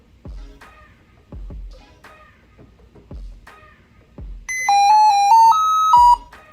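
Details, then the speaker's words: Lenovo ThinkPad X1 Carbon at boot with a black screen: a short six-note electronic melody, Lenovo's "musical tone error," indicating a fault (display failure). "So this is called by Lenovo a musical tone issue or musical tone error, and it basically means something is wrong."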